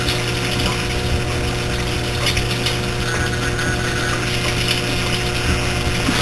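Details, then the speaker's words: Three-year-old 2008 Whirlpool Cabrio washer during wash: steady motor hum under dry ratcheting, clicking mechanical chatter; owner calls it a new, unknown noise, cause unidentified. "oh wait m that's a new noise I don't know what that noise is"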